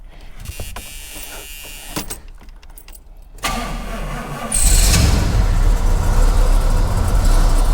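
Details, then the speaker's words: 1980 Pontiac Grand Le Mans fitted with a swapped 350ci (5.7 L) Chevrolet V8, first start after the carburetor was suspected of needing cleaning: brief cranking, then it catches on fuel into a strong, steady rumble. Starts easily. "that's running on fuel that sounds good wow wow oh mate that was an easy fix"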